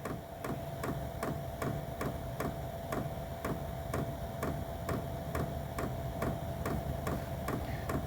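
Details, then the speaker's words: Vevor diesel heater with a 15 ft, 3 in flexible outlet hose, started from the Bluetooth phone app: the fuel pump ticks crisply about twice a second over a steady fan hum, and it is blowing air. Normal start and running. "is working it is running we are starting to blow as you can hear that"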